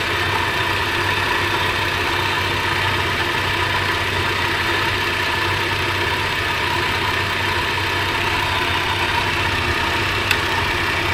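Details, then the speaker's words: 80 Series Toyota Land Cruiser, hot after half an hour of running, held at about 3,000 rpm. Smooth and even with no knocking; oil pressure is over 60 psi against a 36–71 spec, so normal running. "RPM and we max out the gauge over 60 which should be between 36 and 71 so we're in good shape"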